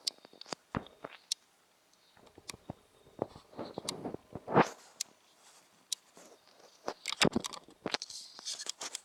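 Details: New Sony NEX-5N camera recorded close up in a quiet room: sharp irregular little clicks come and go from the camera body; cause not evident.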